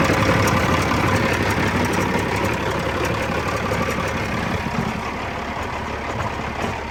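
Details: Peterbilt 379 with CAT 3406E diesel at 1.3 million miles, after catastrophic failure: rough heavy idle with deep, fairly regular bang about three times a second from low down; broken crankshaft believed the cause, earlier banging mistaken for clutch.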